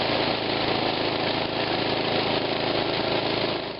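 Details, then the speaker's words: Snowblower with a 4-cycle engine, run briefly right after an oil change and refill to the full mark, to check for leaks at the drain plug: fast, steady small-engine beat for a few seconds, then dies away at shutdown; normal running. "So now we'll want to turn it on, just run it a bit, make sure we don't have any leaks out the drain plug and that things are working good."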